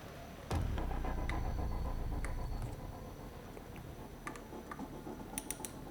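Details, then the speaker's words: Fix-It Sticks driver with a 45 in-lb torque limiter tightening four scope mount screws to a Picatinny rail: a handful of sharp, light clicks over quiet handling noise; the limiter slips at its set torque. "Continue to gradually tighten the screws, and sooner or later, on some stage the torque limiter will limit the applied torque load. You can hear that it already begins to emit a clicking sound."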